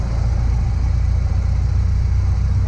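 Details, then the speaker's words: 1925 Ford Model T cresting the brow of a hill, with the spark advanced from mostly retarded: a deep, steady low rumble rising in pitch as the engine picks up. A healthy old engine pulling freely. "We're coming out of the brow of the hill now. Start to advance the spark, you'll hear the engine pick"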